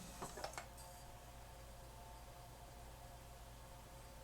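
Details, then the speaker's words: 1988 Yamaha CD-29 CD player after new belts; few quick plastic clicks as drawer shuts, then faint steady whir as disc spins up and table of contents reads. Normal disc tray close and loading. "and it read the table of contents let's see if it's going to play"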